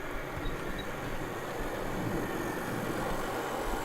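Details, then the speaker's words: Dapol Class 22 diesel model locomotive D6331 (4D-012-005) on DCC with Imperium controller, slowing from about 50% speed into a station and crawling to a stop: soft even motor hum and rolling noise, no jerking or surging, very smooth. "crawling along now and really smooth no doubt about it you know I've reviewed locomotives know that could be jerking along a bit at this stage"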